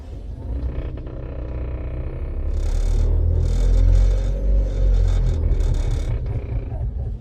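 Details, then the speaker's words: 2008 Porsche 914 EV conversion with Azure Dynamics AC motor and controller, revved unloaded in neutral: deep rough rumble and coarse vibration growing harsher with speed; source unknown, owner wonders if flywheel. "so i'm sure you can hear the vibration on that i don't know if it's on the flywheel or or what but it's a pretty pretty harsh vibration especially in neutral"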